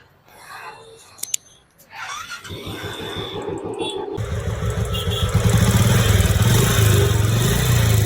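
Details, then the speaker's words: Royal Enfield single-cylinder fires up and settles into a steady thump with a rough rumbling undertone; engine bearing noise only, no crank noise, recorded before teardown to replace the engine bearing. "So இந்த வண்டியில் பார்த்தீங்கன்னா இன்ஜினோட bearing noise மட்டும் வந்திருக்கு."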